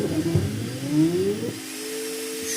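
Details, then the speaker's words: FLSUN T1 Pro 3D printer stock cooling fan: whine climbing in pitch then a steady high hum, very fast and loud before fitting a noise-reducing fan adapter; loud cooling fan. "T1 Pro cihazı Efelsa'nın yani sesten, gürültüden evde durulmuyordu."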